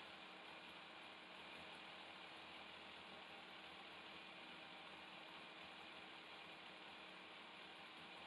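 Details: 2002 Yamaha FZS 1000 Fazer four-carb engine, warmed up, after carburettor synchronisation with all four vacuum needles matched: steady, even idle, no hunting, stumbling or misfire; all four cylinders balanced, normal clean idle.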